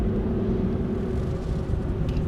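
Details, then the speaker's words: 2002 Chevy GMT800 truck, 5.3 Vortec V8, after PCM replacement and VATS relearn: low steady V8 rumble with even beat, no stumble, surge, misfire or stall, no check engine light; normal idle, running fine. "It's got the same power as it did before we swapped out the computer. So I think it's good to go. You know, it hasn't misfired or anything. It's running fine."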